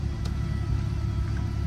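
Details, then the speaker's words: Auction-yard car with prior damage history, about 131,468 miles, recent oil change: started right up, low smooth rumble with steady idle, no ticking or stumbling; engine sounds healthy. "All right. Well, we got power. Started right up. Started right up."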